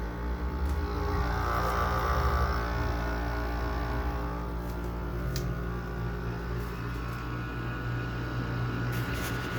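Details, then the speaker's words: Goldstar (LG-made) window air conditioner on R22, low on freon, LG compressor: steady low hum with buzzing rattle; much of the vibration comes from the casing, and a rusted compressor mount may be wonky (suspected). "Let's listen to that nice LG compressor. A lot of that vibration sound comes from the casing."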